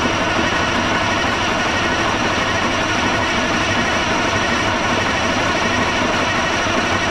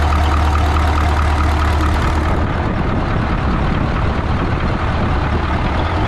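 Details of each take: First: 1980 Peterbilt 359, Cat 3408 diesel left sitting for years: starter cranks at about three turns a second and never catches, then stops. Nothing comes out of the fuel return; crank no start, no fuel delivery. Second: 1980 Peterbilt 359, Cat 3408 diesel revived after years sitting, restarted: deep steady rumble settling into an even idle, no misses or knocks; fired right back up. Normal idle.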